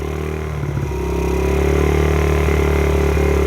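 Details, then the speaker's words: 2009 Honda CRF50F, long-sitting, just restarted after Power Foam carburetor/combustion cleaning, running to blow out smoke and deposits: small single-cylinder picks up revs and holds a steady, even beat, no stumble or rattle; running healthy. "let's let this thing run get all that smoke out again kill those bugs"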